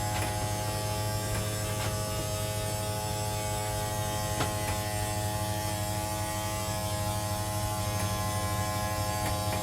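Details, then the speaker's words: 2022 CrossRoads Sunset Trail SS188BH travel trailer slide-out motor, button held to extend: steady even electric whir over a low hum, no knocks or strain, sound dies out when fully extended; normal operation. "And then as soon as you hear it die out like that, that means it's fully extended."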